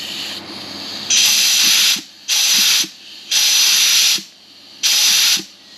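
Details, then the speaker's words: Turbo 350 (TH350) transmission from a rock buggy, rebuilt after burning up, air check during rebuild: four sharp bursts of air hiss, each about a second then cutting off; clutch pack applying and releasing normally. "So, that's one of the clutch packs engaging. I like that."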